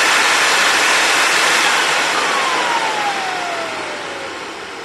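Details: Compact TriStar C8 two-speed vacuum, Ametek motor after bearing replacement and greasing: smooth rushing airflow, clean whine sliding down in pitch as it settles to low speed (7.8 A on low); healthy motor.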